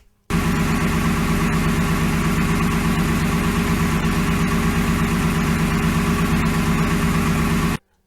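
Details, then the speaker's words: 2002 Ford F150 5.4 2V V8, 265,000 miles, true cold start after a night in the teens: dull hollow piston slap knocking that quiets as it warms, gone fully warm; exhaust leak also audible. "that was a true cold start the truck had been outside in the weather and the teens all night long and uh you can hear in this next clip how it starts to quiet down"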